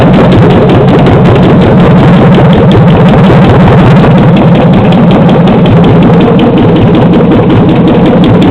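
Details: 2007 Chevy Silverado 5.3L LH6 aluminum-block AFM/DOD V8, running on an engine stand with a borrowed harness, idling around 644 rpm: light, fast, even top-end ticking over the idle, owner suspects a lifter tick (hopes not rod knock).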